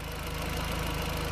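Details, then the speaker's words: Audi TT 1.8T after replacing the leaking rocker (valve) cover gasket and half-moon gasket: short, steady idle with an even low pulse, no ticking or knocking; runs smoothly, no leaks. "it's all started up now all sounds good all looks dry"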